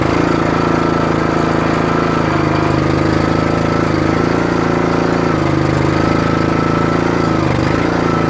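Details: Troy-Bilt/MTD 27-ton log splitter with about 120 hours of use: a busy single-cylinder drone that dips in pitch every few seconds as the hydraulics load it. The engine struggles on the return stroke unless the valve handle is held up, getting worse; valve (likely Energy 326890) suspected.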